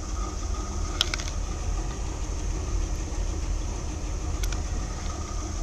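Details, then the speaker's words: 1981 Corvette C3 V8 at idle on the stock exhaust, owner planning chrome side pipes to make it louder: low, even burble with a steady beat, no knocks or misses; normal idle. "I want to fit side pipes nice chrome side pipes so you can actually hear it need a new tire on there but that's neither here nor there that's about as loud as it gets"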